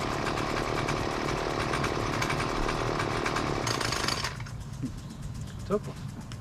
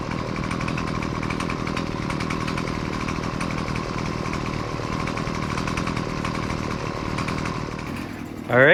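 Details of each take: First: Husqvarna two-cycle gas weed trimmer, about 20cc: buzzy engine runs rough and dies when left idling or when the trigger is blipped too quickly, pointing to the low-speed carburetor screw needing to be opened for more idle fuel. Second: Husqvarna two-stroke gas weed trimmer, about 20cc, gas-oil mix, after adjusting idle, low- and high-speed carburetor screws to fix stalling at idle: buzzes at a steady, even idle without hunting or dying, then blips up cleanly; running fine.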